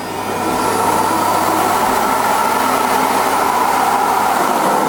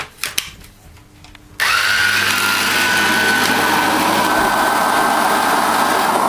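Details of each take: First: Electrolux UltraActive ZUA3861P powerhead, not picking up: a steady, even motor whir with no brush slap, so the small motor runs but the brushes don't spin; a muck jam is suspected. Finding: brush roll not spinning. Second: Electrolux UltraActive ZUA3861P vacuum powerhead after belt replacement, brushes previously not spinning: after a quiet start the motor spins up to a steady, even whir with a clean high tone, no rattle or slip; fixed and running properly.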